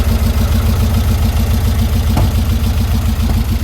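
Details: 1952 VW Split bus, freshly installed 1904cc stroker air-cooled flat-four (74mm crank, 90.5mm pistons, up from 1641cc), after exhaust cut and weld: even lumpy idle, steady low beat, no knocks or ticks; owner then finds a leak; normal idle.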